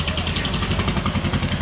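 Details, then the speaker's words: VW Beetle starting up: an uneven, lumpy idle with skipped beats that sounds terrible, running on two cylinders and only now and then catching a third, a misfire. "Oh, it sounds terrible. Yeah, you hear it's two, and then once in a while it'll give you that third one."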